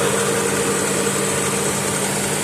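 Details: 1995 Honda Accord after replacing a ripped timing belt that had jumped teeth, causing crank-no-start with fuel and spark: smooth, steady idle, even hum, no skipping or misfire; runs normally.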